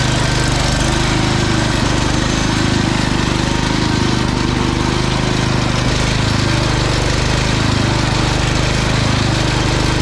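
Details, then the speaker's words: Old Cub Cadet garden tractor, 10 hp Kohler engine, after carb clean and fresh fuel replacing very old fuel: steady, fast single-cylinder chug at even speed, no misses or stumbles; normal running, fixed. "all right that was an easy fix this thing runs great just needed a good carb clean fresh fuel that other fuel is real old"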